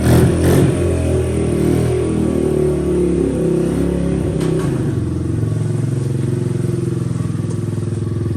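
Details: 2003 Honda XR50 after carburetor set up and adjusted: small single catches at once and holds an even, steady putter, smoothing as it warms; normal start and idle.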